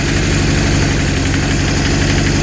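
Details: Honda CB750 K2 run from a remote fuel tank for a carb balance, with a newly installed electronic ignition. Lumpy, loping idle with missing pulses; 2 of 4 cylinders not firing, ignition ruled out, traced to a carburetion issue.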